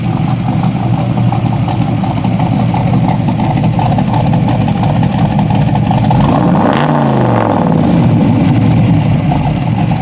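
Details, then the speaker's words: Classic Corvette V8 on radial tires at idle; a steady, even idle with a deep, smooth beat and no knocks or misses, running good and smooth. "good smooth too"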